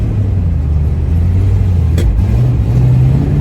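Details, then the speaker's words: Classic carbureted engine after swapping plugs, wires, ignition module, coil and fuel pump, earlier hesitation and ticking: deep steady rev with a sharp single bang mid-rev; two backfires, otherwise sounds good, cause not yet pinned down. "back fire [Music] sounds good other than those two backfires the cap is staying on"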